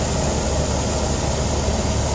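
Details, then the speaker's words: 1986 Toyota Van Wagon SR5 EFI with a stock fuel-injected engine and 5-speed: a steady, even low idle with no knocking or uneven beats; it runs smooth and healthy. "Dusty, but runs real good, smooth, as you can hear. No knocking, even the gears, they go all in, no grinding."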